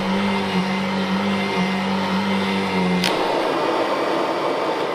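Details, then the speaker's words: Kirby G7 vacuum Tech Drive self-propelled drive running, slightly slower than the G6 (Kirby slowed the G7 drive via gearing and changed the belt); steady motor hum with even gear whir as it pushes back and forth, a healthy normal drive. "also you can see from that quick demonstration that the G6 it just runs a little bit quicker compared to the G7 like I said Kirby slowed the tech drive down with the gearage and they did change the belt"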